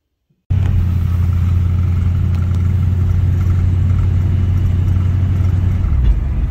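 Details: 1960s Ford Mustang 289 V8 automatic, two-barrel carb, full-throttle from about 40 mph on road: deep steady rumble, no stumble or misfire, pulls pretty good; kickdown issue pending fix.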